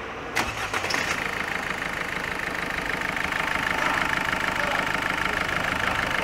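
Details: Peugeot 206 1.4 HDi diesel after full service, with prior complaints of stumbling at 110–130 km/h, overheating and injector gurgling: starter whirs briefly, engine catches cleanly and settles into a steady, even idle with no knocks or misses.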